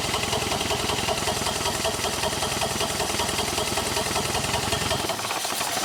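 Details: Model T roadster hot rod with a 1932 Ford Model B engine, first start in about 40 years after sitting: uneven, lumpy idle with an irregular chuffing beat of two to three per second; rough running, likely one weak cylinder.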